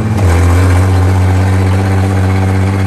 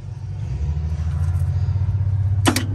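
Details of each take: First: International 1-ton flatbed truck (stated 1947 or 1949), sat about 50-53 years, first start on gas with used plug wires; strong, even low drone for six seconds, no knocks or misses, then easing off; six running normally. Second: 1949 International 1-ton truck, sat about 50 years: slow labored starter groan, crank barely turning, engine seized, then partly frees up.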